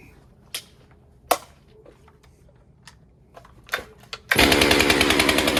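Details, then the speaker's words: Stihl MS462 chainsaw after service (fuel filter replaced, air filter cleaned), started outdoors before the auto-calibration reset: clicks, then a fast, steady buzz with even firing pulses; normal running. "I feel like, and the saw sounded healthy. Let's just fire it up and see how she does, and then reset it."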